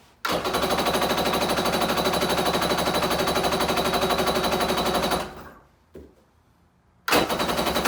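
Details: Kawasaki 750SS small-pin engine in an SC jet ski, air filter cover off, cranking: fast even chatter with no firing; spark is good but there is no fuel in the carburetor.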